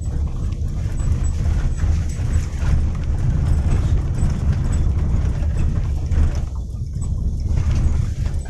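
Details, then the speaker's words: Daihatsu Xenia rear suspension after repair of clunking over rocky, potholed roads; the lateral stabilizer rubber from axle to body is noted as the usual trouble spot. Now quiet: steady road rumble, no knocking or thudding from the rear. "teman-teman sudah anteng Ya beda anteng banget ndak kau punya jokjok lagi"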